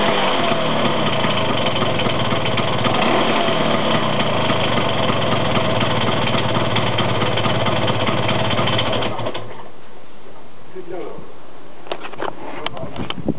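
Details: Vespa 125 scooter engine ticking over evenly with a faint, thin high-pitched whine above the exhaust note, then cutting off; the source of the whine is unclear.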